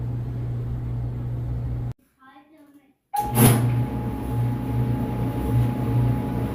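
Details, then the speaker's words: Whirlpool WED92HEFC2 dryer after replacing belt and drum rollers, motor previously loud and suspected near end of life, now fully reassembled: steady low even hum, no buzz, rattle or scraping; very quiet and smooth, normal running. "It's very quiet and smooth. Very quiet. Very smooth."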